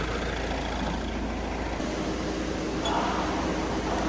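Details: Mahindra Thar after the dealer addressed a fault of shaking and whistling with AC on: even, steady engine drone with no whistle or shudder; engine running smoothly and sounds healthy.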